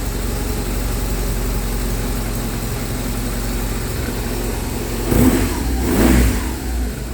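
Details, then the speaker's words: 2009 BMW R1200R after fuel pump replacement, just started: steady even idle then two clean throttle blips rising and falling smoothly, no whistling or rattle; sounds healthy. "no whistling no noise sounds great"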